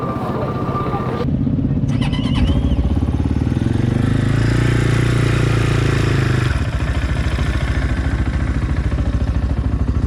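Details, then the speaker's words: 2020 SSR Motorsports SR300 Chinese dirt bike, first cold start with new Lectron carburetor: fires on first button push with choke on, choke off almost immediately, brief fast idle then steady even low thump, no misses; normal cold start and idle. "starting is now just push of a button with the choke on you can turn the choke off pretty much immediately and as you can hear the bike just first like a kitten"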